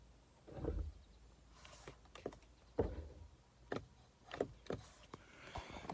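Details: 2020 Ford Explorer ST with new battery, random no-start happening 3 times in 6 months, sometimes "No Key Fob Detected", auto stop-start not working: sharp, uneven ting clicks every half second while it won't crank; cause unknown.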